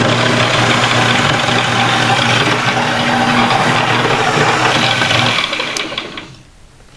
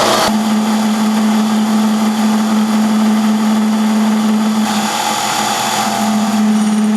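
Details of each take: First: Mini lathe 90 V DC motor, about 2500 rpm estimated, burned up after smelling warm and failing to restart, now under load: a steady whir with a gritty grind and arcing, then spin-down. Worn brushes arcing on the commutator. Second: Mini lathe on a replacement 90-volt DC treadmill motor, in forward, cutting the hex off an ER20 collet with a carbide bit. A steady low hum holds firm under load with no labouring or chatter, then winds down smoothly. Working well, surface finish all right.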